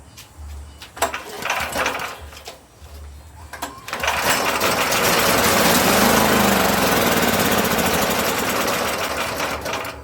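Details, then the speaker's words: Free Powerhorse 9000ES generator with compression and spark but a bone-dry tank: carb cleaner sprayed in, a few weak pops then it runs rough for seconds on spray alone, pointing to a fuel-delivery problem. "since this tank is bone dry uh that leads me to believe we got something going on with the fuel it's gonna shoot some carb cleaner in there see if we can get it to fire off see if this thing's worth saving"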